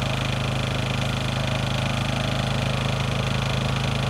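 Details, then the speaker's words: Honda EU2000i generator powering an RV, Eco throttle on: smooth steady hum just above idle, even beat, no hunting or misses; running healthy under light load. "echo throttle on and the generator will sit there and uh operate uh just above idle"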